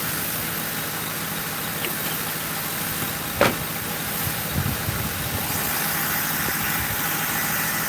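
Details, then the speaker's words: 2005 Ford Crown Victoria police V8 after replacing the shorted cylinder 4 ignition coil and plug that blew fuse 9 and killed all coils (codes P0351-P0358): even, steady idle with smooth low hum, no misses, running normally. "dude my car's running good you guys you hear it we're just gonna only rev it up real quick"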